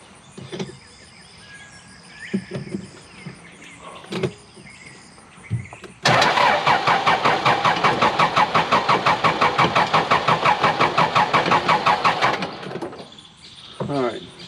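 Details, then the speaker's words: Cat 416C backhoe diesel, hard to crank, hydraulic fluid low: about six seconds of fast even cranking that never catches; owner suspects it isn't getting diesel and primes the fuel again. Cranks but won't start. "got to prime it all right let's do it again it's almost like it's not getting diesel"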